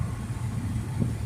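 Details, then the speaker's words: 1989 Toyota Cressida, first drive after sitting for years, about 60 mph at 2,300 rpm, windows up: smooth, even low rumble with no knocks, ticks or misses; running normally. "This thing is nice, guys. Man, does it run good. Let me roll the windows up so you can hear me. Yeah, this thing is just smooth."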